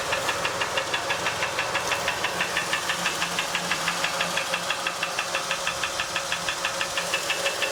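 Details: 2007 Honda Ridgeline idling: light, crisp ticking about three times a second over a smooth idle; dealer says it is normal operational noise, normal engine ticking.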